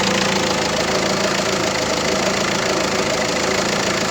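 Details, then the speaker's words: Peugeot 307 1.6 HDi diesel at idle and high idle: light irregular clicks about once a second; failing alternator overrunning pulley. "o aracımızda tuhaf bir ses varis prensesin de musunuz bulabilecek misiniz bilmiyorum ama bugünkü hiç elimiz bu ve bu sadece kalife açtığımızda meydana geliyor"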